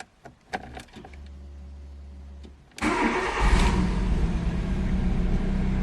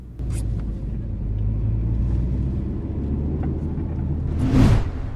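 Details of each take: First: VW Lupo with a failing borrowed fuel pump, the original pump having already died, check engine light on. A short crank, then it catches and idles with a slightly lumpy, uneven beat. Rough running, likely from low fuel pressure; a low-fuel warning also shows despite a full tank. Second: VW Lupo after the fuel pump was replaced and the fuel level sensor contact adjusted. A low engine rumble rises and falls with throttle, with a brief rev and no stumbles or odd noises. It runs normally and a test drive confirmed it.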